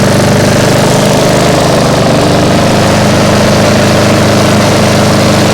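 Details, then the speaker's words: Restored small mower engine (freshly painted, reassembled) idling about 20 minutes after first start: steady even putter, no knock or miss, a touch loud, owner suspects a slight exhaust leak; hunts a little at times, no overheating. "so it seems to be running just fine a little bit loud because yeah I think yeah the exhaust is leaking a little bit"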